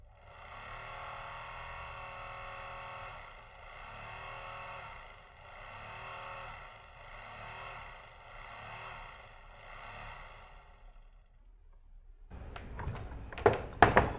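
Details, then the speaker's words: Overlock machine running after its loose part was centred and the screw tightened, with the part called chapiya fitted: an even, low hum with a soft regular pulse and no rattle or knocking. Running normally and quietly. "तो आपने देखा एक machine में आप यह जो part होता है यह रहा देखिए इसे चपिया बोलते हैं यह पार्ट अगर लगाते हैं तो मशीन में आवाज बहुत कम हो जाती है"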